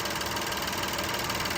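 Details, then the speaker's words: 2013 VW CC 3.6 direct-injection engine, freshly rebuilt, just after first start with WD-40 blowing off: even, steady idle with light injector tick on top, no knocks or misses; healthy, purring. "Let's let all that nice, fresh WD-40 blow off of there. Listen to her purr."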